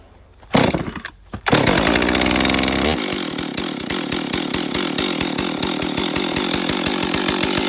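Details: Stihl MS 440 chainsaw after intake boot replacement, started on high idle and choke: catches after a couple of pulls, holds fast even two-stroke idle, but chain keeps spinning when it should sit still.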